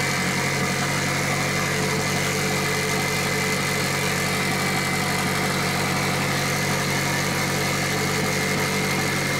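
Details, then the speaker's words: Mitsubishi Evo 8 4G63T, first start after engine rebuild, on a lift missing one mount: even, steady idle held noticeably fast, no dip or hunt; air leak suspected, a hose found disconnected. "There's an air leak somewhere. An air leak somewhere? How can you tell? Because it should idle normal. Oh, is that why it's idling high?"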